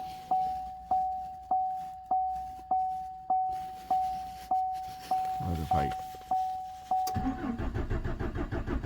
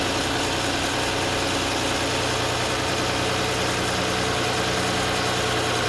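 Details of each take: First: 2014 Chevrolet Silverado 4.3, towed in, fuel pump recently replaced after external leak: key chime then even cranking that never fires; no fuel pressure, tank actually empty though gauge read about 1/4, runs after adding gas, fuel level sender defective or inaccurate. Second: 2014 Chevrolet Silverado 4.3 after a crank-no-start: a couple of gallons of gas were added although the gauge showed just under a quarter tank, and it now idles steadily and evenly. The engine had run out of fuel; the fuel level sender is suspected inaccurate.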